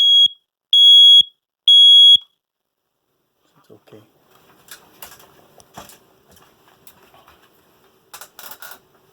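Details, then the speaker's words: Interconnected condo smoke alarm after battery replacement and reset: three loud, evenly spaced high-pitched chirps about a second apart, with the linked living-room alarm sounding too; normal test, working as it should. "so you hear that the other smoke alarm is making a sound as well it means this is my smoke alarm and the other smoke alarm right there in the living room it's connected they communicate to each other that's how it's supposed to"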